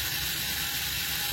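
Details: DIY cordless grinder converted from a corded grinder, on a 20 V 4 Ah battery, free-running during the rpm measurement: a high, steady whir with light gear chatter and no grinding. It reaches about 7,300 rpm, which is normal.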